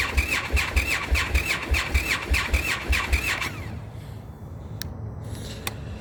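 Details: Indian FTR motorcycle at 36–40°F, a recurring cold-start problem taken to the dealer three times. Starter churns in even pulses near 100 a minute with a chirping squeal, then stops without the engine ever firing: cranks but no cold start.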